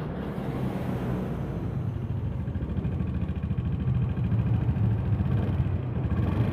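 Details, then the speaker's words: Honda Beat FI with overdue oil changes and oil running out: rough engine note with a faint rapid ticking (kletek) at running speed. Scored piston suspected, unconfirmed before teardown. "Masalah pada bagian mesinnya ya. Mesinnya itu suaranya itu kasar, kemelitik."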